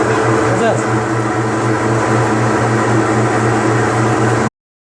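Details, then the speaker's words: Mabe Aqua washing machine that won't wash, with transmission post leak and a damaged motor sensor: steady low rumble with a rough grinding edge as the drum turns, from damaged transmission bearings. "El ruido que hacen los valeros que ya están dañados."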